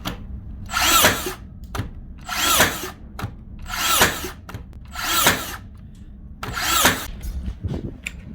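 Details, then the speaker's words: Makita DBN600 cordless second-fix finishing nailer, after greasing to fix misfiring and not fully sinking nails: five evenly spaced shots, each a short whir ending in a crisp snap; normal firing, though one nail jammed. "she's definitely firing them shot them all that time that's definitely an improvement"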